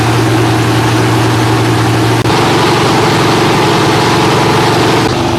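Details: Freshly rebuilt Holden 308 V8 on a part chassis on first start: deep, steady idle with an even beat and no misses, knocks or ticks. Normal idle.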